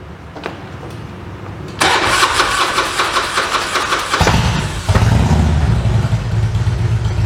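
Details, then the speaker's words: Harley-Davidson carbureted V-twin during a tune-up: long starter cranking before it catches and settles into a lumpy idle. It is hard to start because the carburetor was just opened and fuel isn't flowing properly yet. "ini susah hidup barusan karena karburatornya kan tadi kita buka ini belum begitu lancar alirannya ya"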